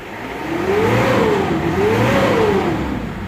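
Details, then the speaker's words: Mitsubishi Pajero diesel after fixing a fuel tank issue that starved the engine of fuel and caused a no-start: revs up twice and drops back cleanly, smooth and even with no misfire or knock; sounds healthy. "sounds good let's take it for a test drive and see what happens but yeah sounds good right so there we go it's made a huge difference it's amazing a diesel engine actually getting diesel how much difference it can make"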